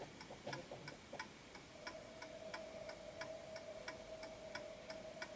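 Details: Antique Westminster chiming clock with silent function, after finding the center of gravity, left running about a minute: crisp, evenly spaced ticks about ninety a minute, no limping or skipped beats; in beat and running properly.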